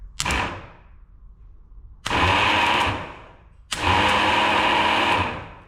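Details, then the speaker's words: Rebuilt Johnson outboard starter motor, previously smoking, bench-tested in vise on direct power: three sharp whirring bursts spinning up to steady high hum and coasting down; runs freely with plenty of pep, no smoke. "Well, I think that's gonna work. No magic smoke. It looks like it's got plenty of pep. Okay. Starter works, I believe."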